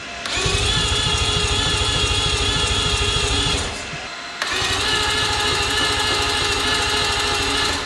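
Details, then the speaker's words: New billet four-rotor rotary engine on its first start attempt. Two runs of about three seconds of steady starter cranking with no firing at all. The ignition circuit was found to have no power, with a relay and diode in the signal lines being checked. "I'm going to check the ignition circuit, make sure that the ignition system is actually getting power to here."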